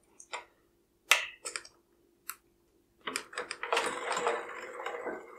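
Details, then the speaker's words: Bicycle disc brake rotor rubbing on the pads after the caliper is knocked out of alignment on the trail or in transport: sharp metallic ticks, then a harsh scraping hiss as the spun wheel drags; fixed by realigning the caliper with a feeler-gauge tool. "this is perfectly aligned brake River nice quiet and smooth but sometimes when you're out on the trail riding or if you pack your bike up think things can get a little bit out of alignment and it can sound pretty darn nasty"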